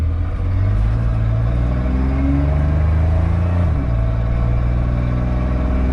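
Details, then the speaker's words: 1993 Chevy Cheyenne work truck with 4.3 V6 after tune-up and timing set, driving under load: deep strong pull, revs drop on shifts and pull again, no misfire or spark knock; about 50 hp gained. "well shifting through the gears faster this is crazy turns out she's not a big old pile of dirty truck at all a little Rain Man 4.3 I think we gained like 50 horsepower today this is nuts"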